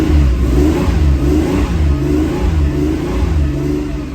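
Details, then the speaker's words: 1979 Porsche 911SC after ignition restoration and CIS fuel distributor repair: revs held fast and slightly uneven with a wavering drone to clear fuel-wetted spark plugs. The mixture screw needed nearly a full turn. Fuel-fouled plugs. "keep the revs up a little bit because trying to clean off the spark plugs too"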